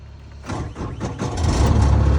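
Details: Takeuchi TL8 skid steer diesel at about 2,000 hours, cold start: it cranks, catches quickly and settles into a steady, deep, even idle with no knocking. A healthy, normal cold start.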